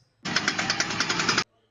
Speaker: If you hear this noise when turning left or right, that means you have a bad CV joint. You need to get that addressed right away.